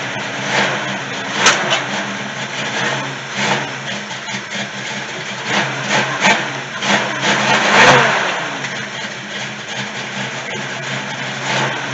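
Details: 1971 Chevy C10 long-sitting yard find, V8 idling: steady even low rumble, no knocks or misfires, smoking a bit; engine sounds healthy, though transmission has no gears.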